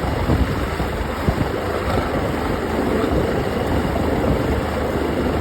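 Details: Outboard (ox66) running at steady speed with a constant rough grinding wash under the motor note; new spark plugs stopped it briefly but it returned; compression excellent, prop not slipping, cause unknown.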